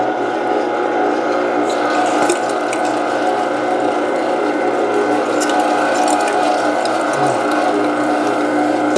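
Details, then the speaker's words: Meat Your Maker 1 HP meat grinder, new, on a test grind: smooth even motor whir with steady tones and light ticking from the feed; healthy under load, good enough to skip a second pass on the bigger plate. "Okay, so I'm not even going to run it through a second time on the bigger plate because it's clearly, it did a fantastic job."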